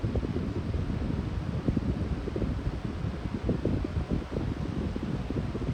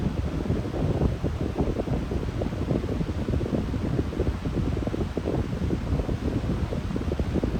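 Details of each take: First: Lasko high-velocity fan switched up to medium speed: a steady airy rush with a low hum or whine underneath and no rattle or scrape. The motor runs normally. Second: very surprised that it's not making that loud humming sound that it usually does on medium. I'm pretty shocked by that because usually it doesn't.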